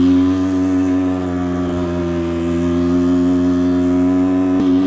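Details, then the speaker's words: Suzuki SMX 50 two-stroke, engine rebuilt after a failed big-end bearing, on its first test ride: steady high-pitched buzz holding speed with slight wavering; uneven running, needle suggested to be raised for more fuel, cause unconfirmed. "il faut relever les aiguilles. , la dose de carburant devrait être augmentée."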